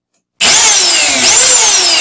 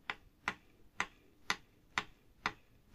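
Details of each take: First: Vacuum cleaner motor clamped in a vise after bearing and carbon brush replacement: spins up instantly to a steady high-pitched whine, no rattle or grinding; healthy smooth-running motor. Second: Vacuum cleaner motor, disassembled: sharp dry clicks about twice a second as the worn upper motor bearing is turned by hand near the mic; the lower bearing is in good condition.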